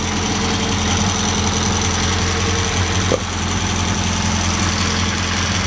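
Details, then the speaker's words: Crosley four-cylinder idling on a hot day with a freshly filled tank: steady low, smooth, even rumble with no misses or knocks; runs good, but its brakes barely stop it. "the gas tank was under the seat really the thing runs good HS like a"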